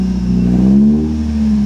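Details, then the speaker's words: Salvage-auction automatic car, no gears at all though linkage feels connected and fluid looks good: engine revs up freely and falls back with no pull or drive taken; a computer fault is suspected. "a little throttle maybe she'll kick in I don't know because it's not even trying it's not doing anything I mean I don't hear anything"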